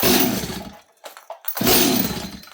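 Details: 026 chainsaw, blue spark confirmed and not acting flooded: with choke back on it gives a couple of short firing bursts and faint pops, then dies; fires briefly on choke but won't keep running.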